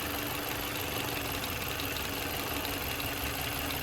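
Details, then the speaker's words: Chevy Malibu with repeatedly replaced brake-booster vacuum pump, brake booster pressure sensor code, idling with vacuum line off at the pump: steady hiss and constant buzzing drone; good suction but pump sounds abnormal, owner suspects it failing again. "Sounds like it's about to kill the car, honestly. There's good suction, so I have no idea. That does not sound normal, if I had to assume."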